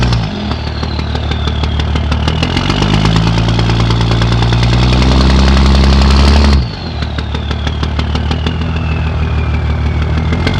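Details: 2004 Dodge Cummins diesel with a rough idle: uneven, shaky clatter that revs up and drops back, then settles to a lumpy idle that never smooths out.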